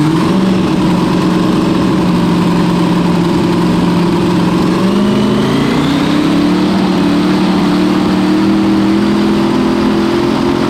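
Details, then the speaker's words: Small block Chevy V8 on a 400 main block after leaning out the fuel mixture: runs strong, pitch climbing smoothly and sharply when revved with no misses or stumbles; healthy, aggressive, noticeably different sound. "Sounded more gooder. Bit angry. Noticeably different."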